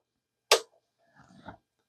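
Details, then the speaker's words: 1987 Hayes V-Series Ultra Smartmodem 9600 on bench after capacitor repair: single sharp click then faint rattle as internal relay trips when phone line (cable-provided home line) connected; owner suspects modem dislikes non-copper line, unconfirmed. "okay so it's doing the same behavior what that plugged in yeah and I can hear it click inside when it does that"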